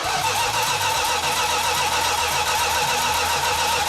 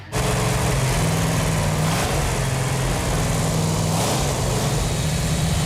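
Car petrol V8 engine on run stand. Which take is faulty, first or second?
first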